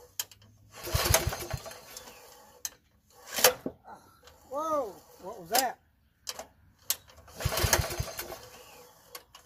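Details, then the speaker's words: Troy-Bilt 33-inch walk-behind mower with a mouse nest found: three hard recoil pulls spin without firing; the recoil isn't grabbing the engine. "we had uh The Recoil not working it seems to work but then it it's free so at one of the one or two of those poles"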